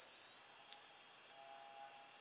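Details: Hard drive motor on a programmable ESC, unloaded at full throttle: pure high steady whine settles in at once and holds constant; motor running cleanly, normal whine.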